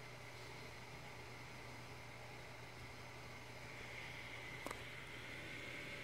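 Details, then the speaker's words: Core 2 Quad PC on a Gigabyte motherboard with a GTX 260 installed. The card's fan is stuck at full speed. Steady, even rushing whoosh with a faint high tone; cause unknown. "okay the 260 is pushing out air at full speed why okay I've gone ahead and disconnected the front fan maybe in combination with the graphic card the fan can't handle it or the computer can't handle it"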